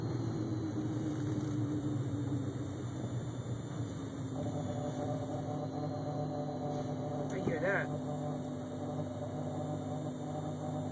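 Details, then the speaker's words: Steady low electrical-sounding buzz inside the car cabin over the quiet engine, started a month ago; it seemed to stop with the air conditioner off but returned; cause unknown. "it stopped when I stopped it when I turn off the air conditioner I no it's doing it again even with the air conditioner off"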